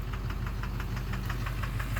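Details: 2009 Chevrolet Duramax LMM dually, new 1800 rpm stall converter, idling in drive with e-brake on: sharp regular knock about five or six times a second over rough idle; suspected failing injector, owner places it near cylinder 3.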